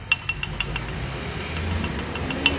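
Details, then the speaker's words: Hyundai HB20, simulated front-end noise: quick bursts of light metallic clinks, about six a second, from brake pads knocking together. A weakened pad retaining spring is a suspected cause, not confirmed. "Esse barulho, pessoal, de pastilha, tá? Batendo uma na outra."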